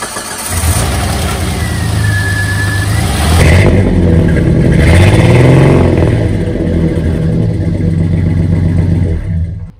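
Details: 1990 Jeep Comanche Eliminator six-cylinder idling roughly with a lumpy, stumbling misfire, running as if down a cylinder; owner plans a tune-up with new cap, rotor, plug wires and spark plugs.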